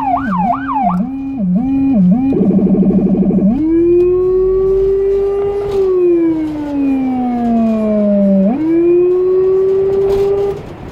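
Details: Small emergency car in Budapest with a Federal Signal Rumbler (180–360 Hz) beside the high-pitch siren, recorded from inside the car. A wailing, yelping siren rises and falls over a deep pulsing low tone: siren and Rumbler working normally.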